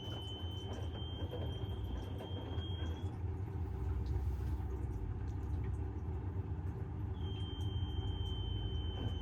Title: Bosch - Very strange noises + unbalanced spin